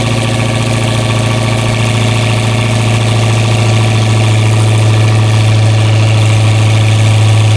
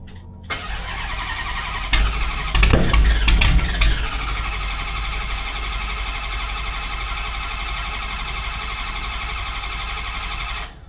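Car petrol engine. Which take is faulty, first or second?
second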